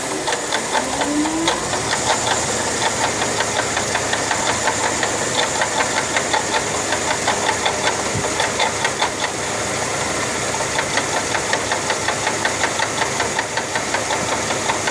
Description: 2004 Mercedes C240 water pump bearing failure.